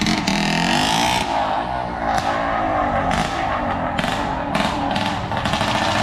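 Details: Yamaha RX135 two-stroke, freshly ported with custom exhaust, Vforce4 reed valve and high-compression head, ports designed to hit about 10,000 RPM: loud crackling revs in sharp bursts, picking up and dropping cleanly each time. Normal healthy running.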